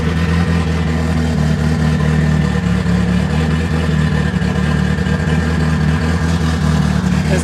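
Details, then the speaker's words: Rear engine of the twin-engine forged 4E-FTE nitrous Toyota Starlet on a new Haltech ECU, with big cams and an exhaust exiting under the car: a loud, deep, very lumpy loping idle at eight inches of vacuum, healthy with aggressive cams. "we have eight inches of vacuum at idle and you can tell it's very very lumpy"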